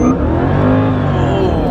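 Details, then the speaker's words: Mercedes E55 AMG wagon, body panels off, with new heat exchanger, coolant pump and custom open intake, hard 0-60 launch with wheelspin; loud steady supercharger whine climbing with revs over the V8 roar, more noticeable with the new intake; normal. "I gotta say the blower whine is way more noticeable now oh my gosh that is crazy"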